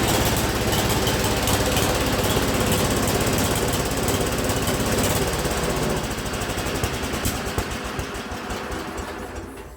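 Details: Speedex 1630 garden tractor driving under its own power after a new carburetor and a reused head gasket: a fast, uneven chattering beat of about 200 per minute that fades toward the end, single cylinder running rough; cause suspected, not confirmed.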